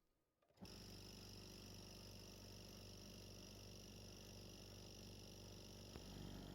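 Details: Scrapyard compressor: starts abruptly then settles into a steady low drone with a faint fast pulse, no rattles or squeals; runs normally.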